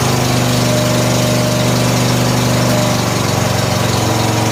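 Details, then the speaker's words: 14 HP Briggs & Stratton single-cylinder engine in a free Murray riding mower, carburetor flooding, oil smelling of gas, after start on choke: loud, steady, even thump with no misses; running properly, one small backfire possibly from gas in the exhaust. "ah so good sounds good"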